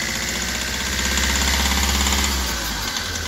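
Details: Hyundai i20 diesel with black smoke and low pickup: idle with a sharp, rapid tak-tak knock, about three per second over the clatter; fuel injector problem suspected, not confirmed.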